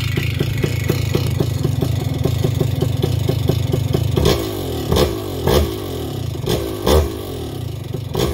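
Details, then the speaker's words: Vittorazi Moster 185 paramotor with the low-speed carburetor needle too rich: rough shaking loping idle, then quick throttle blips that spike rpm instantly and snappily. "so with it too rich when you blip the throttle the motor is very crisp very sharp as soon as you blip it the motor spikes in rpm it's real snappy because it's getting a lot of fuel"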